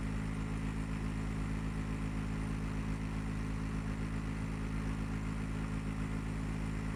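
A steady low droning hum with a faint flutter runs without change throughout, far too loud and rough for a healthy split unit.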